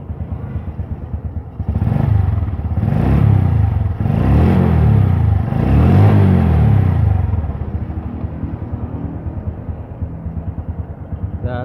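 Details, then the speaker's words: Honda Revo Absolute motorcycle engine after replacing the worn cam chain tensioner roller, which caused the rattling top-end noise; now idles evenly with quick throttle blips and the rattle gone. "Bunyi yang ngemrecek tadi udah hilang, berarti tadi penyebabnya cuma roller ini doang, roller tensioner kampret ini."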